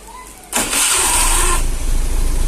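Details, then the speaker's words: 2013 Honda Beat scooter just fitted with a universal keyless remote module wired to ignition input/output and starter wires: brief starter whir, engine fires at once into a smooth, even idle; normal electric start. "Oke, motor sudah bisa di starter. Pemasangannya sangat simpel ya."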